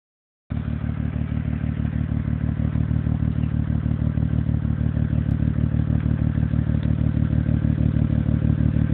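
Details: 2005 Acura TL 6-speed manual at idle, recorded by phone at the exhaust tips: lumpy, loping exhaust pulsing about three times a second, with loud valve noise; misfire at idle, cause suspected, unconfirmed.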